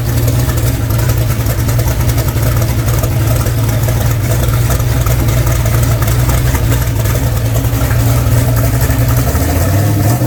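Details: Freshly rebuilt V8 (ARP rod bolts torqued to 90 ft-lb, new ring gaps) on first start: fired almost first rotation, deep steady rumble with no knocks or misses; engine healthy, runs smoothly.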